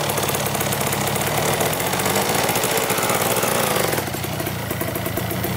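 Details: Cheap Kawasaki two-stroke dirt bike after clutch repair: loud crackly two-stroke beat holding steady with no misfires or sputter; running properly.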